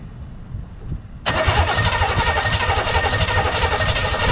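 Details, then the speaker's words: 1985 Pontiac Parisienne after its battery was charged: the engine starts into a raw, loud, crackling idle with an open rumble because the exhaust is not connected. "So start it up right quick for y'all, just to let you know it start up. You know what I'm saying? The exhaust isn't connected, so that bitch will be kind of loud."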